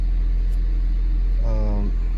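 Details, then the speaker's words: 1995 Honda Civic Si hatchback, original OEM lower motor mounts reinstalled replacing solid eBay mounts, recorded in cabin: steady smooth low hum, no vibration or buzzing; normal quiet idle. "know I'm not hearing the - you know vibrating or anything like that so it's just quiet as can be"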